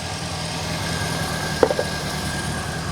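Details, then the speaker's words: Reliant Fox after the exhaust downpipe joint was fixed, first trial run. Quiet, steady low idle with an even beat and a brief clatter partway. The engine has never sounded this smooth. "how smooth does that sound she has never sounded that smooth"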